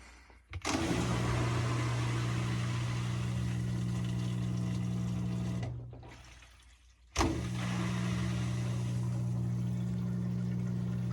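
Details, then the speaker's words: LG Tromm washer DB-02 (4681EA2001T) drain pump, fixed after OE error and stripped shaft: steady low hum stops and restarts with a buzzy rattle; impeller loose and vibrating, sounds rougher than the lock-shaft repaired pump. "But again, the repaired one with the lock shaft does sound a little nicer than this one with that impeller, I guess, loose like that. It vibrates. You can hear it vibrating."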